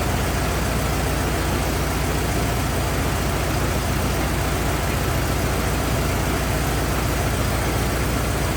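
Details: 1927 Ford TT truck, on battery ignition, choked after restart; steady, even idle with low regular beat, no knocks or misses; oil leak, owner suspects loose hogshead inspection cover; good runner, normal idle.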